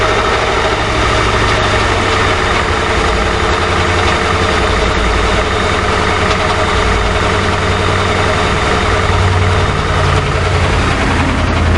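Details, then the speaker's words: 2006 Crown Victoria Police Interceptor; loud, low, steady idle with a faintly uneven pulsing beat, engine shivering; rough idle, cause unclear. "I'm right at the catalytic converters. Now, it's running, but as you can see, the engine is shivering."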